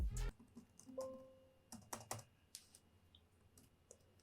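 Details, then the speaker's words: Casper Excalibur G900 laptop (i7 11th gen, RTX 3060 6GB) keyboard, typing with narration muted: soft, sparse key clicks with a muted action and no rattle or squeak; a normal, quite silent keyboard with good sensitivity. "Evet arkadaşlar klavyemizi sesi bu şekildeydi klavye gerçekten güzel bir hassasiyeti var böyle yani kötü söyleyebileceğim hiçbir şey yok şu klavyeyle ilgili normal sıradan bir klavye zaten bayağı bir sessiz çalışıyor"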